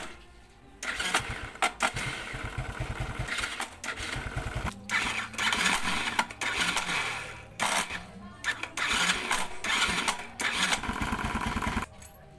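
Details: ESR110 motorcycle, hard starting with noisy starter: repeated choppy cranking bursts with rattly metallic noise between stalls, won't catch easily, starter sounds rough; Bendix drive/starter clutch suspected, replacement is the fix shown.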